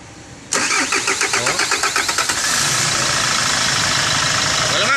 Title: Kia Sorento Hard starting